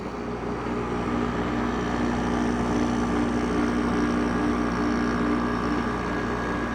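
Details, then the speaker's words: Haier window air conditioner after replacing the bearings: compressor and fan running with an even hum and smooth fan whoosh, no rattle, grind or the former bearing squeak; running normally. "now it's starting to freeze up which it usually does but as you can hear no more bad bearing noise so i have fixed the bearings"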